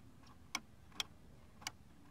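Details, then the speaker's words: Hedge-trimmer handle safety switch during a Stihl HS81R/Husqvarna checkup, pulled straight up with no resistance felt: four clean, sharp single clicks over a quiet background, no scraping or drag; normal safety-switch click. "that click there's no resistance I can feel it it's pretty good pulling straight up you can hear that that switch activating"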